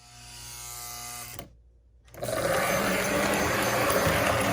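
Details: Lionel 736 Berkshire postwar locomotive after cleaning and lubing the motor with Super Lube synthetic grease: after a brief silence the motor spins up to a smooth, even whir with no catching or labouring, running freely; smoke unit works.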